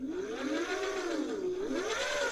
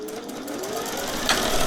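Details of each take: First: Thrift-store Singer 401A Slant-O-Matic sewing machine with the clutch released: the bobbin winder turns by itself with a light, smooth whir that swells and eases with handwheel speed, with no knocks or grinding; normal bobbin winder operation. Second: Singer 401A thrift-store sewing machine, running while testing stitch pattern cams: steady hum, then one sharp loud pop partway through from inside; motor not hot, so probably not the motor, cause unknown; slight knocking noted afterward.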